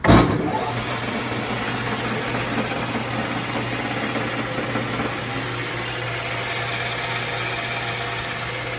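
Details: Refurbished BIRO 3334 band saw, 3 HP TEFC motor, non-slip V-belt, 124 x 5/8 in blade at 3,200 ft/min, 220V three-phase: starts with a thump then steady motor hum and even blade hiss, no knock or squeal; normal running.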